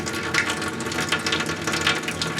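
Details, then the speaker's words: Well-pump cabin whose plumbing was blown out with an air compressor for winter, refilling in spring with the faucet aerator removed: water spits in uneven bursts with gurgles. Faucet sputtering from air in the lines. "Like I said, it's going to spit and sputter for a while, but this is why you leave the aerator out."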